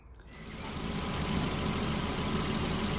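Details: Ford Fiesta Zetec after timing belt, water pump and service, warming up while bleeding cooling system: engine catches quickly and settles into a steady, smooth idle with no misfire or rattle; running fine.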